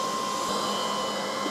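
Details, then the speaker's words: Old CNC router revived after two years stored, just powered up: steady fan whoosh with constant high electronic tone near 1 kHz, no rattles; power supplies, spindle VFD and three stepper motors running normally. "asking me to home all AIS before I press that I'll move the camera so you can see but uh that power supply is running that power supply is running the uh vfd for the spindle's running the three step OTS are running"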